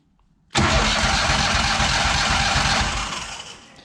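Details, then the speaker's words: Walker lawnmower with no power at the console, starter tested: it catches sharply and spins the engine at an even, quick rhythm. Normal starter cranking. "All right, that makes me happy."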